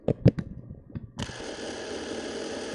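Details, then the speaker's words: Super 8 sound camera power zoom motor, handheld: after handling clicks the small motor spins up to an even, slightly hissy whir with a squeaky knob, no catches; normal motor running. "it's hard to hold this thing in a way that oh it's a healthy sound listen to that motor here we go"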